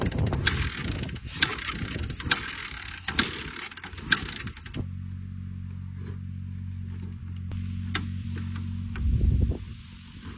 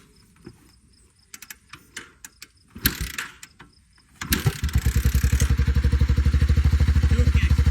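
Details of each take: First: 1985 Honda Forrax 250 fitted with the carburetor from the owner's '86: repeated kicks turn the single over softly with only a couple of weak pops and no start, seemingly low on compression. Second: Honda Big Red three-wheeler single after its tight valves were adjusted, following a previous day of failed kicking: kick-start clicks, then it fires into a crisp, even thumping idle with no ticking, though a little smoky. Normal running.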